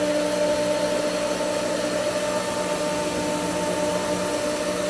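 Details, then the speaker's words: Pool pump at spring opening after skimmer valve opened on winterized, air-filled lines: thin strained whine with no solid water load behind it, having sucked air and lost prime. "Seeing it lost it again."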